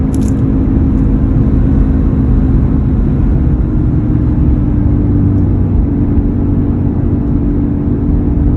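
A steady low hum with a constant drone underneath while rolling along; a persistent humming noise whose source isn't pinned down yet.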